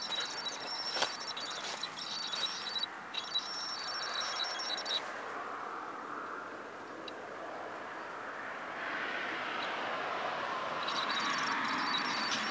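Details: Canon EF-S 18-135mm STM lens on Canon 650D with image stabilizer on, in video and photo mode: faint high thin whine coming and going in short stretches; abnormal IS noise.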